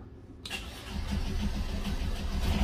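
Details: Fischer Panda 5K diesel generator after service and fuel-system bleed: cranks briefly, catches cleanly and settles into an even, steady low diesel thrum, pumping water; normal start and run.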